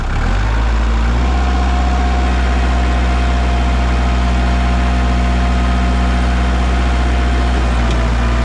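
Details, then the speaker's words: Warmed-up 2002 Kubota MX5000 DT tractor, about 960 hours, after a new hydraulic filter cured a squealing pump and dead, jerking hydraulics: diesel holds a steady, even drone at raised revs with no pump squeal or whine; hydraulics normal. "so I went to Kabota brought a brand new filter put it on and the tractor Works without any problems"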